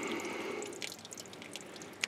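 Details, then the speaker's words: Ford Cortina MK3, engine off, hose turned off: slow irregular single drips of coolant from between engine and transmission; owner suspects a frost plug pushed out by freezing in first year of storage, hopes block isn't cracked; engine must come out. "could still hear water running and that's that so sounds like she blew a frost plug at some point the first year it was in storage"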